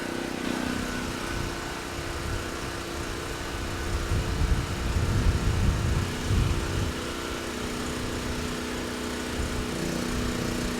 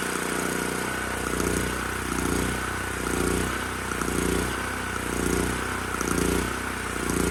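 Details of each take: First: Titan TG8000Z 8000 W generator after carb mixture screw set to two and a half turns out, at about 61–62 Hz, 125–128 V: steady drone with a brief swell under load, then levels off without surging; engine good. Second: Titan TG8000Z 8000 W generator, sold as running only on starting fluid, now running after spark plug boot suspected not engaging: drone swelling and dipping about once a second, mild governor surging, especially under load, despite carb.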